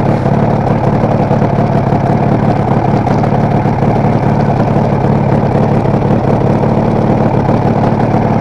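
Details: Kawasaki KR250A two-stroke twin at idle with an erratic tachometer needle for the last three or so runs: a steady idle with a slightly uneven, stumbling beat; owner suspects a misfire in the cylinder the tach is wired to, unconfirmed.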